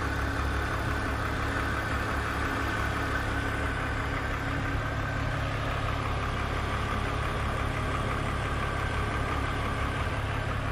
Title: E46 Engine Rattle Noise